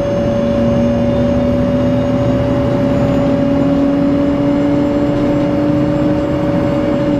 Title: 17. 92-001-01 דן בצפון צלילי מנוע בתוספת שריקה המהווים רעש לא נעים בנסיעה בשדרות ההגנה חיפה